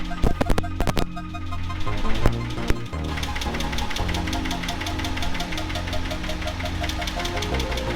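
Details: Nissan 280ZX L28E straight six idling: sharp loud ticking about six per second from incorrect valve lash, worse than before adjustment; noise once blamed on injectors.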